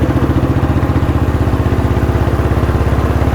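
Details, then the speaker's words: Fully restored 1976 Royal Enfield Bullet with brass gearbox bushes, ridden at speed: deep, even thumping at about twelve beats a second, strong with no knocks or rattles. Normal running. "So நம்ம இப்போ நல்லா ஸ்பீடாகவும் போய் பார்ப்போம் vehicle வந்து எப்படி sound கேட்குது."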